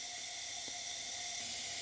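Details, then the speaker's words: 18 hp Briggs & Stratton engine on neglected Heritage ST42 ride-on mower, cylinder leak-down test with valves shut: steady airy hiss as air escapes past a non-sealing intake valve; about 46–47% leakage. "as you can hear we do have some leakage from the intake valve yep definitely leaking through the intake valve"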